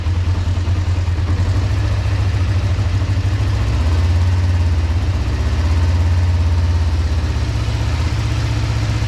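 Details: 2005 Kawasaki Ninja 500R twin, sat 10 years, after new carbs, tune, synchronization and oil change: deep even steady burble at idle, no misses, knocks or rattles; smooth, healthy idle.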